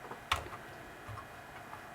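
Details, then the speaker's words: Dell 486P/20 (486SX 20MHz, early-1990s) original floppy drive, already serviced with heads cleaned and rail greased, still won't boot: sparse sharp ticks and a brief head-seek clatter then quiet; the drive steps but never settles into reading. "so it hasn't attempted to access the floppy Drive now it has so that's frustrating isn't it we've serviced this drive I've clean the heads we've greased the rail so it should be working but it"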